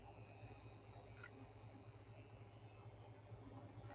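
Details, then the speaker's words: Sony Aibo ERS-210 head repair, servo motor just revived (WD-40 considered): faint steady low buzz with irregular soft ticking; servo sounds rough, unsure if normal, cause not yet known. "That is interesting. I didn't know they're supposed to sound like that because I don't have a random servo on here with me."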